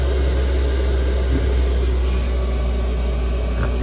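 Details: Chinese air heater after switch-off: loud, steady fan roar over a low hum, no knocks or rattles, during the shutdown purge cycle while still blowing warm air; normal.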